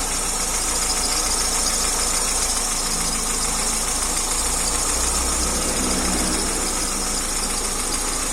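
Fast light clatter, about three ticks a second, rides over a steady idle with a bright metallic edge; top-end noise, cause unconfirmed.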